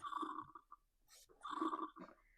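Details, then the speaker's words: Stihl BR350 backpack blower that won't run well or rev up, blamed on ethanol/water damage. After reassembly, releasing the purge bulb gives two bursts of bubbly gurgles as air is drawn through an unsealed carburetor nozzle valve. "When I release the purge bulb, there's fuel coming up the fuel line into the carburetor. The nozzle valve in that curb should be sealed closed. It's not sealed. And that's the air you're hearing when I do this."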